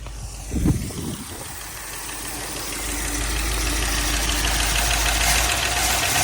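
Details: Toyota LN65 Hilux 253 V8 just started after a decade sitting, idle with light steady tapping rattle about three per second; valve train noise blamed on long storage, almost gone after 20 minutes idling.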